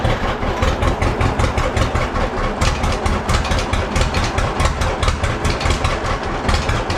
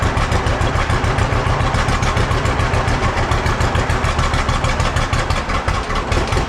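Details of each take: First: Old John Deere B tractor started after checking the carburetor float: steady even low putt-putt idle settling quickly, no misses or knocks; running healthy. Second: Old John Deere B tractor just started after carburetor float check and radiator hose replacement: low loping idle thump with slightly uneven beats; runs a little rough, owner wants it evened out.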